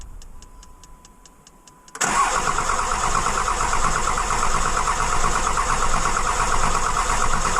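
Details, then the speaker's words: Dodge 2500 5.9 Cummins, almost 350,000 miles, original CP3 pump, after sitting overnight: a few ticks with key on, then long, steady crank that doesn't catch; hard start, suspected weak CP3 pump, replacement planned. "every time that you let it sit for a period of a day or so, you have issues with it cranking, correct? You got an excessive crank."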